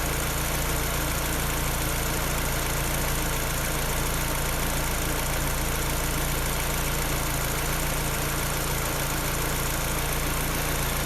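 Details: Peugeot 308 engine running at idle: a light, fairly regular clack, about three to four times a second, over the hum; an unexplained foreign clacking noise from the engine.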